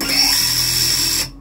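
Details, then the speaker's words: Siccario cinelifter with BH2812 v3 motors, HQ 8x4.5x3 props and Betaflight 4.2.8, armed on the bench in quad-X mode (four motors only): whining motors waver and shudder from frame resonance, visible in the arms in flight and subtler when hand-held. "see it's not happy at all and it's a lot more subtle when i'm holding it but the problem is definitely there"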